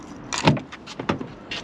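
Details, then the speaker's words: Lexus driver's door on remote unlock: three or four short rattly clunks in quick bursts as the lock struggles; other doors unlock but this one won't, key unlocks it. Owner suspects the door lock actuator, not confirmed. "go to unlock it makes all that noise but it will unlock the rear door and all the other doors but this one won't"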